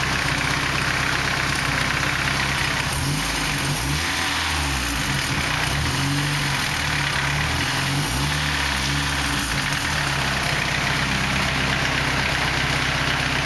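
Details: 240 KA-T engine at idle: a steady idle with a low drone that swells and wavers, plus an irregular knock in places; abnormal noise, source unclear.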